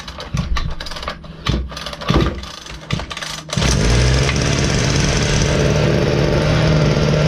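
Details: Ryobi LT2 2-stroke petrol trimmer that wouldn't fire after a new tank of fuel: pull-cord tugs and clatter, then it catches and settles into a steady even drone, running normally after repair.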